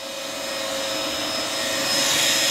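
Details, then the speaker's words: New Two Trees SK1 3D printer on first startup: steady strong rushing hiss of air with faint constant tone; cooling fans blowing hard, no louder than Bambu Lab or K1, normal and reassuring. "Après ça souffle fort, pourquoi? Parce que il faut de la ventile, hein, ça va vite. Donc il faut que ça ventile. C'est rassurant que ça souffle fort d'ailleurs."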